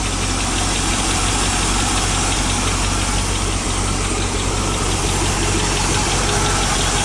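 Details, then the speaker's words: 1986 Chevy K10 4x4 with 5 L V8, first start after 9 years unstarted and 14 years parked, possibly on 9-year-old fuel: loud rough idle with light irregular tapping, a dry lifter still ticking; oil pressure good. "It's still a little bit of a tick there. Just try with it. Good enough."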